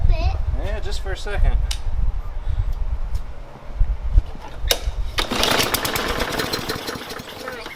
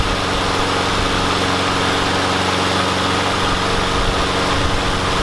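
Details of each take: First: Briggs & Stratton engine on a Yard Machines mower, just primed: repeated raspy pull-cord cranking bursts, each dying away with no catch; turns over but won't fire, attributed to stale fuel clogging the carburetor. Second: Yard Machines mower with a Briggs and Stratton engine that would not start; after priming, wire-brushing the spark plug and using carb cleaner, a steady, even single-cylinder drone holds constant speed without misses or surging: normal running.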